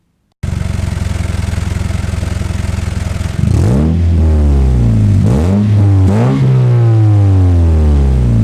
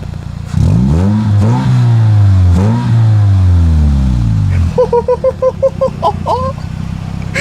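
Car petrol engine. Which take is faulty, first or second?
first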